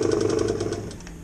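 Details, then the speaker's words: 1975 Elna Lotus sewing machine running: rapid, rhythmic grunting pulses of about twenty a second that fade as it slows, caused by a flat spot on the rubber motor idler wheel. "elle fonctionne vous pouvez entendre qu'elle fait un bruit pas et catholiques espèce de grognements n'est pas normal"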